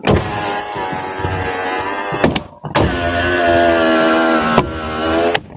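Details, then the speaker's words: Toyota Fortuner power window: motor whirs steadily as the glass climbs, then a sharp bang at the top of travel while the door bulges outward; the regulator needs adjusting and lubricating. "That's not good. Okay, we have to get rid of that noise. It's supposed to be noise free all the way to the very top, but it's going bang over here."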